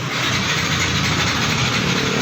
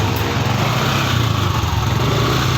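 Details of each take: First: Yamaha NMAX 155 with good battery and speedometer lit: steady starter whirr that never catches, no firing pulses; cranks but won't start, with a bolt and cover found dropped inside the fuel tank. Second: Yamaha NMAX 155 scooter after fuel pump replacement (previously cranked on a good battery but wouldn't start): small single-cylinder engine idles steadily and evenly with no misses or stumbling; running normally again.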